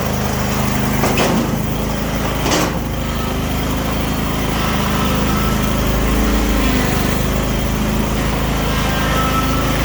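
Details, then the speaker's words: Craftsman YS4500 42-inch riding mower running after new transaxle drive belt and idler pulleys. Small engine holds a steady, even drone with no squeal, rattle or grinding from belt, pulleys, PTO or transmission drive. "Everything's working good, no noise out of the PTO when you let off the brake or anything like that, or no noise out of the transmission drive at all"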